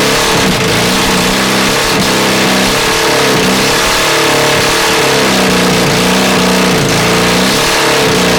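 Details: Honda CB450 project, engine never run before, 400 carbs, 400 CDI, 250 wiring loom, auxiliary fuel tank, first start: loud uneven revving that surges and sags, flames from exhaust, sounds awfully hot; rough running with backfiring, mixture suspected.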